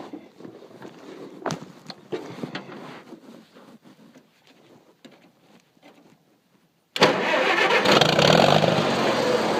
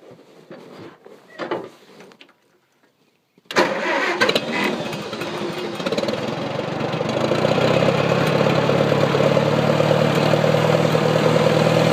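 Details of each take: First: Engine cranking in the dark after all the lights went out: loud, steady cranking that never catches. The owner suspects it is flooded or that moisture is in the distributor cap. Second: Engine that would not start in the dark, after owner suspected flooding and moisture in the distributor cap and wiped contacts: short pause, catches first try, revs briefly, settles to steady even idle; engine starts and idles.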